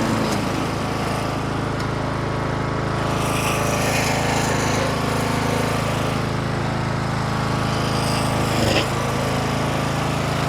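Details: 25-year-old Craftsman LT1000 riding mower single-cylinder engine catches after the flooded cylinder was cleared, settling into a steady, slightly rough run.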